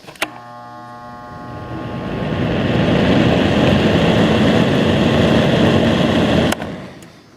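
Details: Fan run on line power after a cheap modified sine wave inverter: switch click, brief steady normal 60 Hz mains hum, then smooth rising whoosh of air as it spins up, unlike the buzzing on the inverter.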